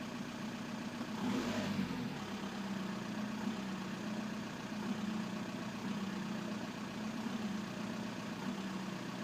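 Diesel idling with an uneven, lumpy clatter and a brief rev early on; the rough running points to worn or faulty injectors.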